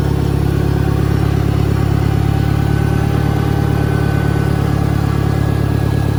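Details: 1963 John Deere 1010, original and properly maintained, 1,000 rpm, first gear on a backyard lap, needs valve seals; smooth, even low drone with only faint gear whine on top. Normal transmission noise.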